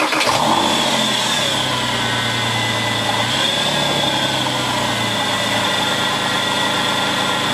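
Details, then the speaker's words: Porsche 911 996 C4S nursed home from Le Mans with a noisy power steering pump: engine fires to a fast idle with a steady high howl, supercharger-like, from the worn pump, heard with the drive belt still on before removal. "it sounds like it has a supercharger on it basically going through the tunnels where you want to rev it and hear the exhaust no I hear this high high sort of speed howl of a of a power steering pump"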